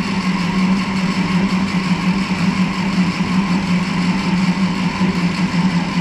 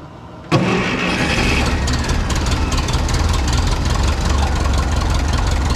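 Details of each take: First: 1951 Ferguson TO-30 tractor, start attempt with fuel on and a touch of throttle: steady droning crank about eight seconds without catching, then stops; hard starting, otherwise needs jumper cables after sitting or when hot. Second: 1951 Ferguson TO-30 tractor after new spark plugs, with carburetor back on: catches at once, steady even low idle, no misses or knocks; running healthy again.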